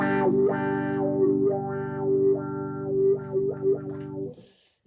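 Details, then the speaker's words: Dunlop Cry Baby Classic wah pedal, about 10–15 years old, after fixing static, played through an amp: guitar notes swell and fall smoothly as the pedal rocks, no scratchy static at the top; clean sweep. "much better sound already there's not that static at the top"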